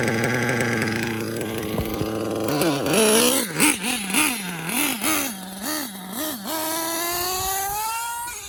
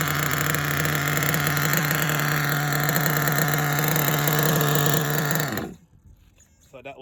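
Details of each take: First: RC car K5.9 nitro engine with LRP 32 Spec 2 carburetor and hot glow plug, after leaning/retuning the low end: revs blip cleanly and evenly then a steady rising rev; tune now better. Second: Nitro RC car, K5.9 engine with LRP 32 Spec 2 carb, venturi 8.5, low needle leaned: loud steady nitro buzz that dies after about five seconds when braking; carburetor idle air gap set too wide with car off.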